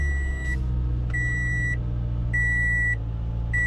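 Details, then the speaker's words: 2014 Toyota Camry, 207k miles, cold start after throttle body cleaning of oily carbon buildup: steady raised idle near 2,000 rpm with warning chime, during idle relearn; earlier fault was rough low idle stalling when warm. "There's my idle, almost up to 2,000. I'm gonna let the car warm up, and I will show you here in a few minutes when the idle comes back down and the car's all warm, how it acts."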